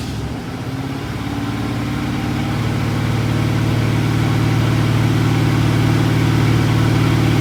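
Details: 1986 Ford F150, freshly rebuilt 1996 Explorer 5.0L roller V8 with GT40P heads, E-303 cam, long tube headers, Edelbrock carb, HEI: catches and climbs to strong even rumble, steady beat, no knocks or ticks; healthy after build.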